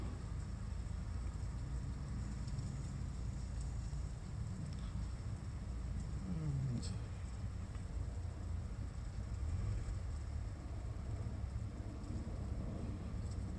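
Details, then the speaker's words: 1987 Dodge Dakota after sitting a long time, given fresh oil and work on brake hoses and gaskets; hot start with a low, even rumble at a steady idle and no knocks, ticks or misses. "sounds pretty good. I'm going to take it around the block a couple more times"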